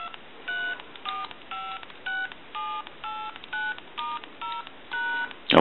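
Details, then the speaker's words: AT&T 530 Trimline telephone on a line analyzer. About ten clean two-note keypad beeps, each roughly a third of a second and evenly spaced; touch-tone dialing works properly. "we can go ahead and dial our numbers if you watch the analyzer you'll watch the numbers go by"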